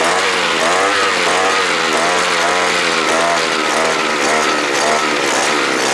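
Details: Earth auger's small two-stroke, after carburetor repair with a sprayer carburetor part, buzzes and rises and falls smoothly with the throttle, running cleanly without stalling; normal running under throttle.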